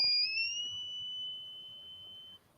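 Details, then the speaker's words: 8800 graphics card at power-on during memory testing: piercing steady high whistle for over two seconds, fading slightly before cutting off; card squealing, cause suspected, not confirmed. "Uh, that was the video card. >> Oh my. You know, I don't think video cards are supposed to make that sound."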